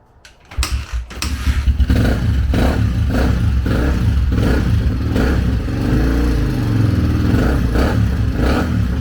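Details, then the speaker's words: 2004 Honda CRF150F single-cylinder after full engine rebuild, third reassembly, started without choke: blips up and settles into a crisp, even beat with no rattle or clatter; normal running. "Oh, wow. Okay, I guess third time is the charm. Try no choke. Open the door here. No racket."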